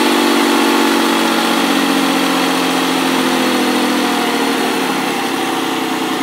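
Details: ST200, first start after engine repair (head gasket and timing chains): steady, even idle with a smooth exhaust beat and no knocks or ticks; engine runs cleanly.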